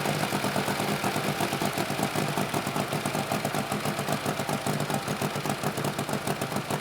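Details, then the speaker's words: 1948 Harley-Davidson Panhead V-twin, first start after sitting years, fresh gas, oil, new battery, started first kick, warming up: steady loping beat about two and a half pulses a second, no knocks or misses; healthy idle. "that is truly impressive how often do you get a motorcycle start up on the first kick of just sitting for three or four or 5 years"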